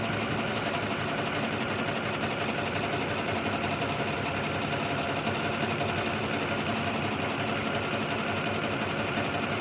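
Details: 2006 Lexus ES330 at idle with a dead number 5 cylinder from a stuck-closed injector; after tapping on the injector there is slight improvement but the uneven, stumbling beat still drops a pulse. Injector cleaning planned next.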